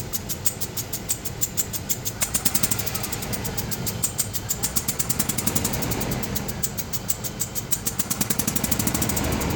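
Fast, light clicking at roughly three per second over the running engine, uneven in spacing; the source isn't pinned down from this.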